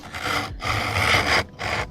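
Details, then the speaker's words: Cheap Temu mini hand plane on harder wood, with the blade set deep: rough scratchy rasping strokes with more friction. It is tearing the fibres rather than cutting, leaving a rough finish; reducing blade depth later fixed it. "Little bit more friction there. Yeah. In fact, you might be able to hear it. It's almost like it's tearing rather than"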